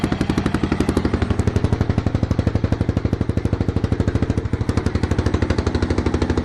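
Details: 1993 Yamaha XT 600 E (3TB) enduro, first run after sitting about 12 years: loud crisp single-cylinder thump at about four beats a second, steady and even with no misses; healthy idle.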